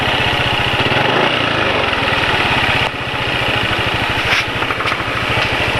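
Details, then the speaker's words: Single-cylinder motorcycle on Mesran SAE 40 oil mixed with cooking oil: steady idle with a fast light tick over the firing beat, ticking echoing from the cylinder head, also heard when overtaking; owner thinks the oil is too thin. "suara kalau apa kalau lagi nyalip kendaraan lain suara kemelitikan ya suara pantulan kemelitikan dari silinder head itu yang terdengar jadi memang olinya agak terlalu encer untuk pemakaiannya penulis"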